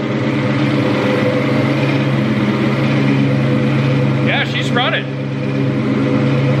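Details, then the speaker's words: 2003–2004 SVT Cobra (Terminator) supercharged V8 after full engine rebuild, first startup, warming up: steady, even idle with firm low rumble, no knocks or ticks; earlier slight noise (owner suspects pulley chatter) fading, oil pressure holding, valvetrain quieting, no blowby; normal idle. "But valve train seems to be quieting up. I mean, we have like no blowby."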